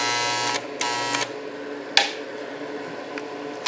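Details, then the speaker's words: Chicago Electric ~125 A flux-core welder (DC-converted), repaired after burning up, output shorted, feed speed at max 10 then minimum: short bursts of light whirr with clicks as the wire feed motor spins up and stops; feed working. "you can hear the feed is working it's all the way up on 10. put it on minimum so I think we're working"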